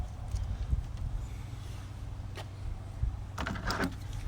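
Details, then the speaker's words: Trunk latch actuator, new aftermarket unit fitted after old one failed to open trunk: button pressed, short buzzing whir and sharp clicks as latch releases; normal actuator operation. "so we'll go like this hit this button all the way every time and that in turn is going to open this latch"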